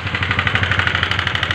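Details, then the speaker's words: Honda CBR150 LED motorcycle, started at idle then revved: sharp rapid ticking about eleven a second over the idle, louder as throttle rises; top-end valvetrain clatter before engine teardown. "Oh ngeri ya suara mesinnya uh call ditarik gas jam makin kenceng suaranya"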